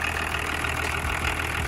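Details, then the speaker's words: BMW with 30-year-old diesel, stalled while driving and sat, first start: steady, even low diesel clatter at idle with no misses or knocks; engine running smoothly and healthy. "самое главное послушайте как сердце реально для дизеля метан 180-ки работает для дизелей которого 30 лет работает замечательно как таракан такой небольшой"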